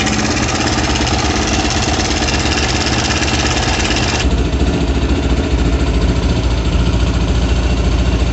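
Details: Kovi Pro KT, zs177mm single-cylinder, after a new timing chain: a steady idle beat, then the tone thickens as revs rise, with no chain slap or ticking.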